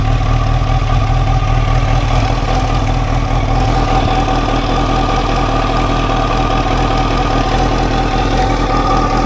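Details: 1989 Kawasaki ZX-10, sat about 12 years, replacement tank, first will-it-run test on leftover carb fuel: steady idle with fast, smooth low throb, no misfires or knocks; engine sounds healthy.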